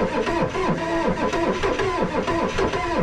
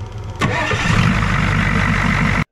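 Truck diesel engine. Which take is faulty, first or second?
first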